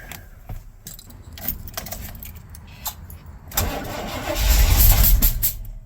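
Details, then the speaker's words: 1982 Chevy K10 V8 that sat nearly 5 years, cranking after its 8 plugs were regapped to 0.040 in. Uneven cranking with ragged pops, then loud spitting back through the intake and no start. Firing order checked correct; owner suspects valve issues. "Oh man, it's just spitting out the intake. Let's check the firing order."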